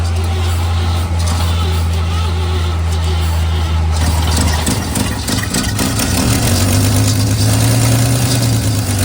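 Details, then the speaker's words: 1955 Chevy 3200 truck started after about 50 years sitting, muffler rusted out underneath: catches and settles into a low, lumpy, uneven idle with huge smoke, partly dust blown from the muffler; running rough after long storage. "is an insane amount of smoke. Yeah. Get on the other side of the Jeep. Faster. Oh my god. It's idling. There's less smoke."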